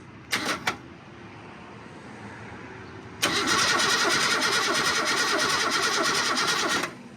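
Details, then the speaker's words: Car that sat almost 20 years, engine not locked and turning by the fan, battery hooked up, no throttle linkage yet, starter in poor shape. Two short bumps, then a sluggish crank of about three compression pulses a second with compression but no catch; weak starter. "I did try and spin it over by the fan, and it did turn over a little bit, so it doesn't appear to be locked up. So, well, the starter's not in the best of shape, but"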